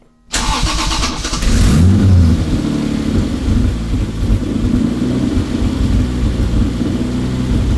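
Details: Toyota 2JZ inline-six, newly wired into a car after months of work and freshly started, recorded with multiple microphones; catches at once into a strong, even rumble with smooth rev blips and slight popping from the open exhaust, running healthy.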